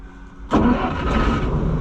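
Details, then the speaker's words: Oliver 525 combine with the separator belt thrown and two belts torn: engine catches at once and settles into an even, steady run with no stumbling; a healthy quick restart. "Listen to that sweetheart just start right back up."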